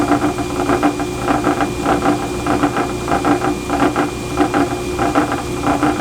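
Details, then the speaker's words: Old WWII-era four-belt-drive grinder with large breaker box and 18-grit wheel, started up: loud even motor roar with light belt rattle pulsing once or twice a second; runs steadily and healthy. "And it runs like a top. It's got this huge breaker box on it, and let's just start it up here and get ready to cut some steel."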